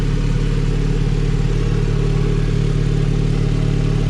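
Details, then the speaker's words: Civic Si with B18C1 GSR swap, stock motor and Precision turbo, warming up at 12.5 air-fuel before dyno: smooth, rock-steady idle with low drone, no stumble or hunting, far smoother than before. "12.5 air fuel while it's warming up here and uh rockstar rather than a rockstar rock steady idle which is awesome i don't know if you guys can hear the difference or not way smoother"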